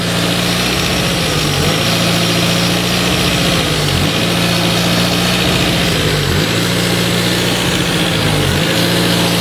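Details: Renault Twingo petrol engine, warm, idling unevenly after an idle relearn procedure: speed sags and recovers about every two and a half seconds; owner suspects a small air leak, but checking it changed nothing.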